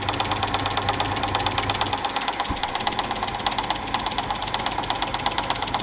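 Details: Old Super 8 film projector, long unused, under repair; rapid regular light ticking knocks over running hum, mechanism knocking with no clear source.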